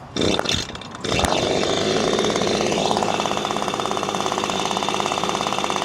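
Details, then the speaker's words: Six-year-old Echo PB-250LN handheld two-stroke leaf blower after fuel filter replacement: settles into a steady buzz at one pitch that never climbs; slightly higher rpm than before. Still not revving to full RPM. "My findings are it runs a little bit better. It runs a little higher RPM, but it's not where I think it should be."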